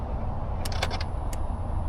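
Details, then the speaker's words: 2005 Chevrolet Silverado 2500HD 4WD 6.0L V8, towed in with no crank: four sharp relay clicks over a low rumble and no cranking; the starter relay closes, but rodent-chewed starter wiring keeps power from the starter. "Okay, so the starter relay is closing. It's trying to power the starter down there."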